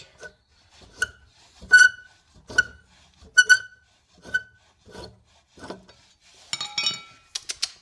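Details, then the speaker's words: Honda VFR 800Fi 5th-gen V4 motorcycle, crashed bike being readied for a trip: sharp dry high creaking squeaks about once a second from old, stuck, rusty front axle bolts binding. "Do you hear that sound? Sound of old. Old and stuck."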